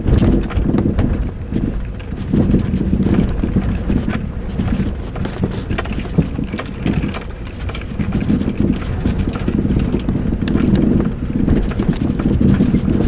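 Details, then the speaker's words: 4-year-old Mazda 6, right front suspension, over uneven road: irregular, heavy, low dull thumps; knock unchanged after replacing strut bushing and upper ball joint and disconnecting the trailing link; mechanics can't find the source. "Передняя подвеска, правая сторона, стучит. Мастера ищут, не могут найти."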